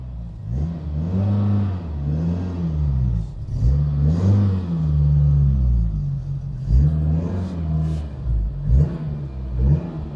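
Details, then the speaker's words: Citroen BX 4WD barn find, not run for about 13 years, after refitting engine bay parts: smooth revs rising and falling, pitch tracking throttle cleanly, no knocks or misses; runs well though needs extra fuel to start. "so the BX is running now there is lots of issues still it's not really priming when I want to start it so I need to give it a bit of fuel to make it run but it runs pretty nicely"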